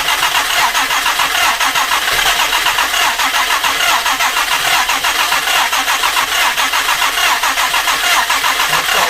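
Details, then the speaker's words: Jaguar E-Type 2+2 under restoration, first start attempt: long run of even starter cranking, turns freely but never fires; flooded with fuel after choke applied, fuel pooling. "i'd say now and i'm going to say that this one is flooded debuggery obviously once that when you put that choke on it seems to flood up really nicely"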